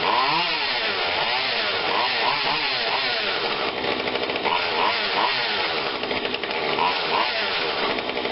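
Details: Husqvarna 142 40cc two-stroke chainsaw not run in a long time, after repair and tune-up, cover off: steady buzzing with smooth rises and falls on throttle blips; holds revs cleanly, runs healthy.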